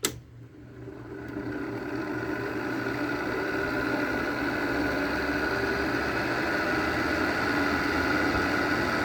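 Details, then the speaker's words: Frigidaire air conditioner with Broad Ocean fan motor and Daewoo compressor, low fan: click at start-up, then a steady whirring hum with a rough, gritty edge; fan motor bearings extremely loud, outdoor side full of water. "the bearings on this are extremely loud on the outside it's full of water"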